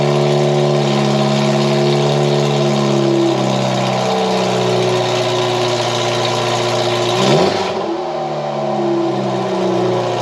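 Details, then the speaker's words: 1989 Ford Mustang Foxbody four-cylinder after its fuel injectors were rebuilt: a loud raspy drone at fast idle with one quick blip and settle; idle is too high and the terrible original exhaust is nearly unmuffled. "it just uh started right right up drove it around sounds great or it doesn't sound great runs great but it sounds terrible"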